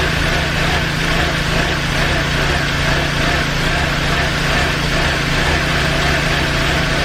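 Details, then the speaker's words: BMW E46 318i, starter motor just replaced, running with mass airflow sensor unplugged: uneven, loping, stumbling idle like a lumpy cam; owner suspects faulty MAF sensor, unconfirmed. "as you guys just saw then I start the car the first time and it didn't work so I unplugged the master until which I was telling you guys about and it started it sounded like a really really lumpy cam"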